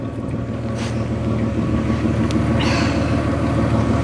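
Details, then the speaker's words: Car with an MOT due, at idle: a deep, throaty rumble with a puffing chuff on each beat; the exhaust is too loud and leaking, believed to be the big silencer, which needs replacing. "while I like a meaty exhaust this may be a little too [Music] meaty that's got to be leaking somewhere"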